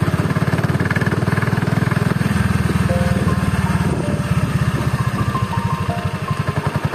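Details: Honda Beat carburetor scooter, CVT under two months of standard use: lumpy, uneven low-speed thrumming with a coarse pulsing rattle from the drive side at low rpm, rough CVT; CVT block disassembled for inspection.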